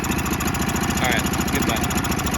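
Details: A newer Honda 5hp outboard (about a year old) with a no-start after sitting, now after carb bowl and jet cleaning. It runs at a fast, even idle with steady firing and no misses or stumbles: a healthy idle.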